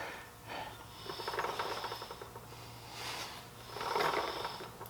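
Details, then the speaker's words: 2004 Honda Rebel CMX250C after a new chain and sprockets, adjusting the rear drum brake: soft scraping swish swelling and fading each wheel turn as the shoes rub when adjusted one notch too tight; backed off one notch. "That's rubbing. So now we're going to loosen it up one."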